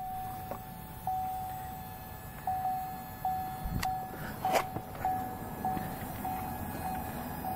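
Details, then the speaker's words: 2.8L Duramax diesel Colorado/Canyon after fuel filter change, key in run position without starting: thin steady electric hum with light clicks about every second as the lift pump fills the filter housing normally. "you should be able to hear when it does get full there we go now it's making some fun noises alright sounds like she's full"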